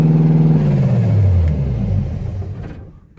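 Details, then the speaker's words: Car engine with no exhaust fitted yet: deep, raw, pulsing roar that winds down within seconds; very loud running with open exhaust. "Really fucking loud, but can't wait to get exhaust on this."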